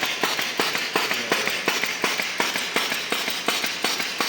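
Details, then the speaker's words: LAB200 Travel/Omnia pilot-scale filter press feeding pump switched on by joystick to start filtration: sharp, evenly spaced clacks at about three per second as the pump strokes steadily after start-up; normal pump running. "If you switch in pump on position, you will hear that the pump will start."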